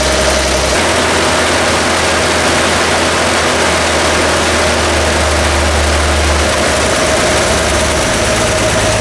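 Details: Vintage Toyota Land Cruiser six-cylinder (stated as 1979 or 1972) after setting the Weber carburetor idle mixture screws: steady, even idle with a low rumble and no stumble, now firing on all six cylinders. Oil pressure is excellent, but the throttle pivot and return spring are poor.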